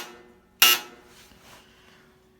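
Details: Sears Kenmore laundry center dryer, buzzer triggered by rotating the dial with the door closed: a short, sharp buzz sounds once in a quiet room, then stops cleanly; signal buzzer works normally.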